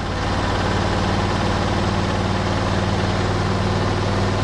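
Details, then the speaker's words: Norwood LumberMax HD38 sawmill engine, newly assembled: smooth idle with centrifugal clutch holding the blade still, then throttle raised slowly; steady drone firms up evenly, blade starts spinning at about 2300 rpm, no misses or knocks; normal clutch engagement. "ah listen to that there's a nice smooth idle and the centrifugal clutch is doing its job because the blade is not spinning and we'll bring the throttle up real slowly"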